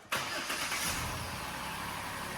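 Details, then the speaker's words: Jeep JK after fuel line repair near the engine: brief crank, catches at once, settles into steady even idle with no stumble; normal engine start, repair good. "bingo week three good repair I'll take that all day long all right looks like this one's back on the road"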